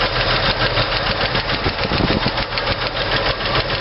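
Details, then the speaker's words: 1964 Chevy II idling during running valve adjustment, rocker deliberately loosened: sharp, rapid clacking about three per second from excess valve lash; tightening for hydraulic lifter preload makes it go away. "still hear me with the engine running and more importantly hopefully you can hear uh what it sounds like when uh when your valves are out of adjustment"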